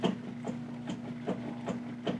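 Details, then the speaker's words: 2007 Chevy Silverado 1500: a rough, pulsing grind about two and a half times a second as the wheel turns, from a worn front wheel bearing; it is serviced as a hub assembly with wheel speed sensor. "this is a 2007 Chevy Silverado 1500 and it's got a bad wheel bearing I don't know if you're gonna be able to see it you can hear it"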